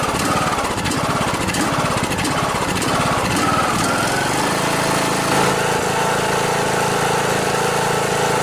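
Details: Briggs & Stratton Intek riding lawnmower engine running with a harsh, rapid chuffing rattle, then a rough steady drone, a sign of a blown head gasket.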